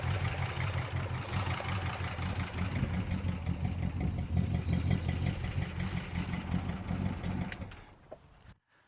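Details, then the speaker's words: 1962 Dodge Custom 880 V8, after fixing miswired coil, bad distributor cap and points: catches and settles into a steady, slightly lumpy low rumble, then shuts down; fired right up, not running badly, might be okay. "I literally turned the key and the car fired right up and it's not running crazy bad or a I don't really see any problems so it actually might be okay"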